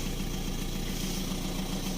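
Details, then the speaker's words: VW Touran 1.9 TDI BLS, previously misfiring and smoking, cold start at about 13.5°C after work on the injectors: low, steady, even diesel rumble, starts at once with no misses or rough pulses; normal idle. "Ну ось зовсім інший історія завелась півтику все чітко"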